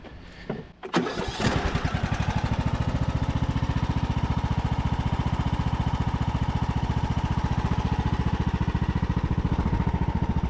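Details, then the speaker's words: Revived Craftsman YT3000 riding mower, abandoned about 4–5 years, fired up after reassembly with tank bolts still out; catches after a short crank and settles into an even, steady thump around 214 beats a minute; runs good, ready to test blades. "up runs good can finally test these blades"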